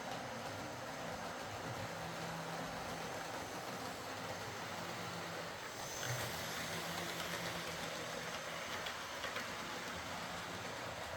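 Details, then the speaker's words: Model HST power car with high mileage and worn brushes, test-run after a full ring field service, bogie cleanup and replacement brushes: steady low motor hum with even track rumble, no scraping or surging. Normal running. "So, a full ring field service, bogey cleanup, and replacement brushes was needed to bring this back into running order."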